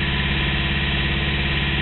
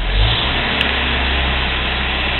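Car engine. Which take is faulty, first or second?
first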